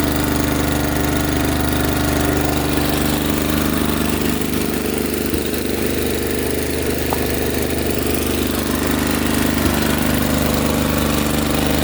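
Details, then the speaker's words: A Honda 828 snowblower with intermittent forward and reverse drive, and fluid level fine with no leaks, runs with a steady engine chug. Faint clicks come from the drive as it engages then drops out; gearing fault suspected. Drive clicking and cutting out. "did you hear the clicking it was it was uh the drive would work a little bit and then stop and then sometimes I could you could hear the clicking"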